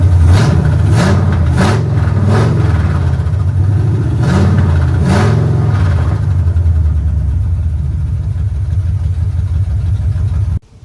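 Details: 1970 Chevrolet Impala V8 first started in 4 years, running off a battery charger with the heater line pinched off: deep, low burble with a few quick throttle blips, then a steady, even idle; normal running.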